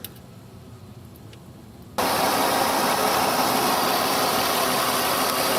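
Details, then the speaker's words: 2005 Mercury Sable, Duratec 3.0 V6 24-valve, after replacing the oil pressure sending unit behind a false low oil pressure warning. Brief crank, then a steady, smooth idle with an even hiss; no warning light and no lifter or rod noise. "okay so far I'm not getting an oil pressure warning light I'm going to drive it a little bit and see if that fixed the problem was not getting any engine noise lifter noise Rod noise engine is completely silent run"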